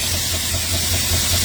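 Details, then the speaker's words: 1970 Dodge Charger 440 just started after heater core bypass install and carburetor priming: steady idle with soft regular puffing about five times a second over loud hiss; owner suspects vacuum leak, later an exhaust leak, unconfirmed. "You hear it? Definitely got a vacuum leak."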